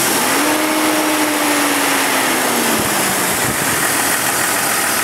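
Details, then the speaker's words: 2000 Jeep Cherokee XJ engine with a worsening lifter tick: when revved the light idle tick disappears and returns at idle, a sticking hydraulic lifter pumping up with oil rather than a rod bearing; lifters to be replaced. "another way you can tell it's the lifter not the main rod bearing is you should be able to rev it up and he it go"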